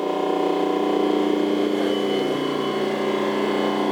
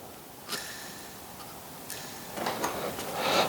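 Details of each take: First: Rotary phase converter after a refurbishment, idler motor cables reconnected; formerly very noisy with an annoying pitch: steady, even motor hum at constant pitch, no knocking, rocking or rattling; much quieter than before; normal running. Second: especially if it's laying down like this I think this bearing is toast I'm going to need to go and replace it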